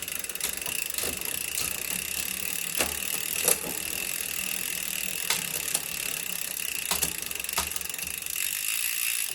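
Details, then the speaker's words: Bicycle rear derailleur after indexing adjustment, nearly finished with the low limit screw still slightly tight: freewheel buzz with crisp single clicks as it steps gears, no chatter or hesitation. "e é isso galera tá praticamente ajustado"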